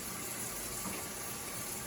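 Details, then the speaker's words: Avanti TLW21D2P portable washing machine found in the garbage, on the rinse and spin program with the drain hose to the sink: steady rushing water over a faint even pump hum, no grinding or rattling; normal drain pump operation. "As you can see, as you can hear, the pump is working right now. That noise is the pump."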